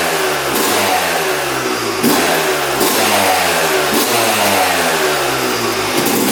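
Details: 2006 Yamaha YZ250 two-stroke after full engine rebuild, carb leak fixed, before first ride: crisp repeated blips, pitch climbing and dropping cleanly about once a second, no bogging; healthy two-stroke revving.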